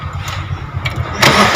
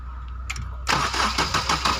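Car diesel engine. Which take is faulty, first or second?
first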